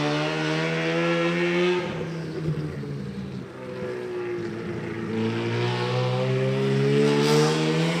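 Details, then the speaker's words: Rotary-powered S15 on a Link ECU with fly-by-wire throttle: idle drops and stumbles, then climbs back to a higher steady note; hunting idle because the idle duty-by-temperature map flip-flops between two duties set between 176 and 184 as the engine warms. "the idle map it has Duty by temperature so it was between 176 to 184 was two different duties at idle so when the car gets a little bit warm a little bit temperature the idle like changes and it go tries to go lower or higher and it's just like flip-flopping between Maps"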